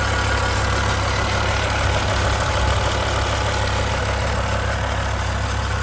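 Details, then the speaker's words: 2007 BMW M6 convertible, V10, SMG, 67,000 miles, at idle: faint, uneven metallic buzz over the engine; owner suspects a heat shield, and prying the heat shields with a wooden hammer quieted it. "I did hear this weird noise, so I'm going to let you hear this motor. You can hear the van noise. You're going to hear the engine and all that stuff. But listen to this. Is it a heat shield that's making this noise?"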